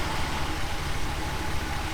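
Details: 1977 Chrysler Newport after tune-up, restarted hot after a 10-minute idle test: low, even rumble with a steady beat and no stumbling or dying away; a smooth, normal hot idle.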